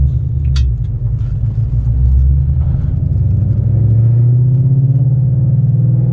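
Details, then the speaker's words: Car with McLeod RST clutch and 3.73 gears pulling away from a stop in second gear at low rpm: deep, even engine rumble climbing smoothly, no clutch chatter or shudder. "See, no chatter."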